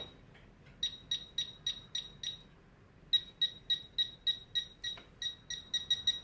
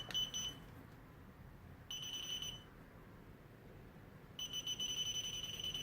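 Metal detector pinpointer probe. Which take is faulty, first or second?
second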